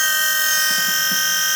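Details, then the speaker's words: Car with a Volvo engine swap, electric-driven hydraulic power steering pump replacing the original mechanical pump, now powered by a charged battery from a Mini after the weak battery was found to be the problem: steady even whir, nice and quiet, steering works, then powers down. "There you go. Power steering works. So nice and quiet, obviously, and then power down."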